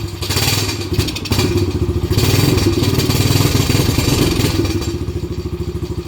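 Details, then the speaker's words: Same quad with the choke just turned off: a slow, lumpy putter of about three beats a second that sags as if about to stall; the owner suspects his earlier adjustment is off and the rpm needs raising. "Let's turn the choke off. There. It's still sounding pretty shittily, like it wants to die."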